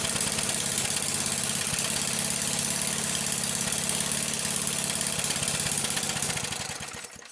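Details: Briggs engine with a soldered-in plug wire, plug wire test: small single runs at a fairly steady, busy idle, then fades and winds down over the last second; otherwise running evenly.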